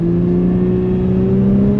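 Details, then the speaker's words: Holden VE Commodore under acceleration at legal speeds: steady engine drone whose revs spike up without the car really gaining speed, the clutch slipping. "You'll be able to hear the revs go up, and we're not really moving. It just the revs spike up, and you're like, you would notice it if you."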